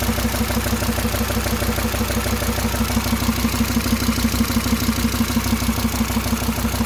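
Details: SsangYong Rexton engine at idle: sharp, very regular knock about three per second over the idle; internal engine knock, source not yet identified.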